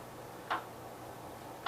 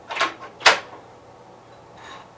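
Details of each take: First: 1973 Gravely 810 after PTO clutch change, PTO clutch disengaged: two sharp light ticks about 1.2 s apart over faint low engine hum; suspected forward or reverse clutch bearing. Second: 1973 Gravely 810 tractor after a PTO change and side cover reinstall, transmission run through the gears: soft whirring swells about once a second after light clicks; gears mesh quietly in second, nothing rough; an earlier noise was being checked.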